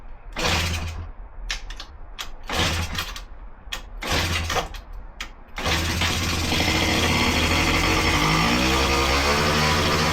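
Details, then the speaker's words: Honda Dio two-stroke scooter, first start after fixing blocked jets and lack of fuel, using ether: a few short pulls and stumbles, then a steady, even run that revs up cleanly. "all right so it is running now going to take it for its first actual ride"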